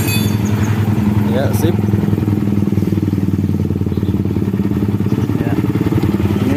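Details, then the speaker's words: Yamaha New Vixion Lightning (NVL) after repair and reassembly: smooth, even idle with a steady low beat and blipped throttle, the former kletek clatter gone; engine healthy. "sudah halus ya teman-teman kita gas sudah hilang suara kletek-kleteknya Ya sudah mantap"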